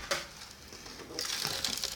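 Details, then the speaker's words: Speaker cabinet, long unused, moved: short dry clattering bursts as something small and loose bounces around inside; cause unknown until opened. "you hearing that what the heck is going on inside here let's find out"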